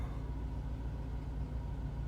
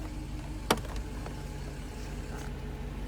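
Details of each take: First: Mercedes 500SL R129 M119, cold start after sitting over a month, about 60°F: low deep idle pulsing unevenly, not settling; lumpy rough idle expected to smooth out as it warms. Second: Mercedes 500SL R129 M119 cold start after sitting over a month: even cold idle with a steady low hum on top from the secondary air pump, running normally during warm-up and stopping once warm.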